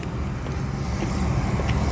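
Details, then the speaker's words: York rooftop unit (R22) with a no-heat complaint, after thermostat connections were reseated and the delay timed out: low steady hum rises gently as the blower spools up, no rattles or scraping; normal fan start. "sounds like the rtu just kicked on heard the fan just start"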